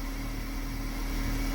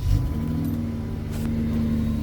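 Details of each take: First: 2014 Dodge Challenger after replacing the fuel pumps, engine running: steady coarse buzzing whine from one pump over the engine; owner suspects it is pushing fuel to the other side and hopes it quiets once refueled. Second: 2014 Dodge Challenger after replacing the fuel pumps (driver side pump, passenger side regulator and filter), engine running: steady low hum with a thin, even pump whine, good pressure; fuel pumps operating normally.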